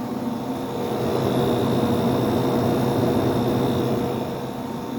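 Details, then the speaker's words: Fedders AirTemp 7.5K casement air conditioner on high fan; loud steady constant-pitch motor hum with smooth airflow rush, owner unsure if varnish-related; normal fan motor hum at high speed. "I love the sound of this thing on high speeed the motor has a nice loud hum to it I don't know if it's like bad varnish or anything"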